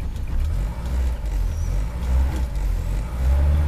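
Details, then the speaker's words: Rover P6, cold engine, choke nearly in: revs up cleanly without coughing or spluttering but runs slightly lumpy and uneven until warmed up; some rattles are from the door. "If I push it right in, she ain't even warmed up, not yet, and she's running a little lumpy now."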